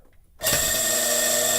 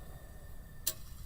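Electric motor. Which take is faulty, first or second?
first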